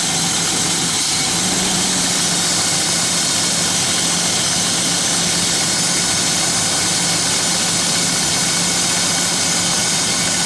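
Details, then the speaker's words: 1995 BMW 525i idling with RPM jumping up and down around 1,000 instead of normal; chugs and wants to die at startup, stalls accelerating. Owner suspected the airflow meter; cause was a cracked air intake hose at the airflow sensor, causing a vacuum leak. "So right now it's idling okay. And you see the RPMs jumping up and down a little bit."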